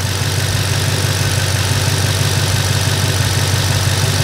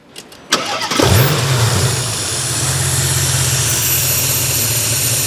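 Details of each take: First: Porsche Panamera V engine after combustion chamber cleaning and new spark plugs and coils, following misfires caused by engine oil overfill: a smooth, steady idle with no misfire stumble or hissing. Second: Porsche Panamera V engine with over 60 fault codes, engine overfilled with oil: cranks, catches and settles into a low, slightly wavering idle; fine cold but severely unstable when hot, nearly stalling, from a failed crankcase ventilation oil separator.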